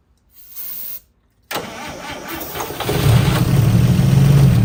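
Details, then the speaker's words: 1955 Chevy Two-Ten coupe parked 40 years, tried without the jump pack after pouring fuel in: short crank, pause, then catches and runs roughly a few seconds but won't keep running. Owner suspects it isn't pulling fuel, probable fuel starvation. "yeah it's not full of fuel I don't think it's I don't think it's pulling any fuel"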